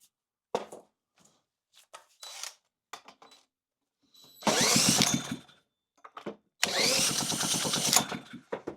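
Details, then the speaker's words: Honda GX160 that had been sitting, after valve adjustment, new spark plug and good spark confirmed, run on starting fluid: two brief bursts of rapid popping that die out between silent pauses; sputters but won't keep running, carburettor next to be inspected. "Oh yeah. And by the way, that's dangerous, guys. Very dangerous. She looks like she's gonna run."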